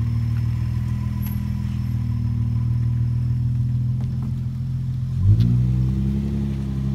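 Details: 2003 Infiniti G35 running after a starter replacement: steady, even low engine hum with a smooth speed change near the end, no knocks or ticks; the engine sounds healthy.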